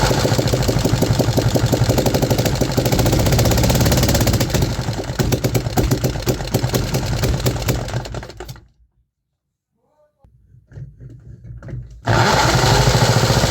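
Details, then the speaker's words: 3D-printed 125cc four-stroke single, running only on choke (suspected vacuum leak): rapid lumpy firing, cuts out and restarts; gauge showed 4000 rpm but sounds like about 2000 rpm, cause unclear; run right before the intake cam was destroyed. "If we look closely at our last run, right before the camshaft was destroyed, the RPM raised to 4000 RPM, but the engine sounds like it had only around 2k RPM."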